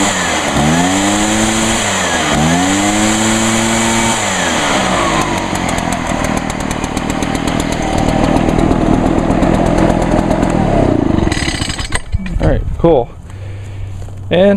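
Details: Echo blower, two-stroke on 50:1 mix, used all winter, one-pull start; revs up and down cleanly, then holds a steady high drone with no misses or stumbles; healthy.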